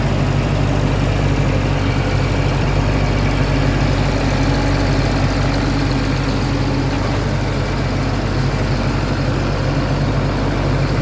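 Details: Cat diesel engine at idle: loud and steady, with a rough beat about four times a second over the deep rumble. An abnormal noise that turned out to be really bad; cause not stated.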